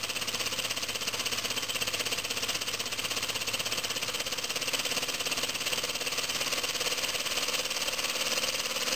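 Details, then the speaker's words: Homemade compressed-air engine from scrap, copper pipe cylinder, at about 8 psi from a compressor: a quick, even hiss with steady exhaust pulses, no skipped beats; its fastest run yet, holding timing though it usually goes out of time. "pressure wow that's the fastest I've ever had it running it usually goes out of time before now"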